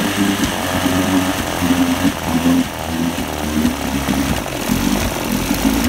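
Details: 1973 Johnson 25hp outboard idling unevenly, swelling and sagging about twice a second from around 17 seconds to the end; surging and rough running, cause not yet known.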